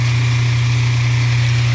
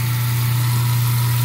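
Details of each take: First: Kitchen garbage disposal with a backup: a steady loud motor hum with a coarse rattling buzz from something foreign caught inside, lemon peels; running it with hot water cleared the backup. Garbage disposal foreign object noise. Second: Garbage disposal after clearing lemon peels and freeing it with the Allen key, then running it with hot water: even, steady low hum with no rattle, grinding or stalling; sink no longer backing up. Normal running.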